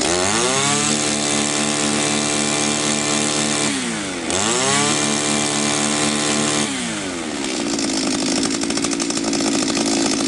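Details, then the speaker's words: Echo 2655 trimmer after cleaning clogged muffler screen and exhaust port (previously no power): crisp steady high-pitched two-stroke buzz, dips and climbs cleanly through throttle blips with no stumble; normal running. "все работает отлично"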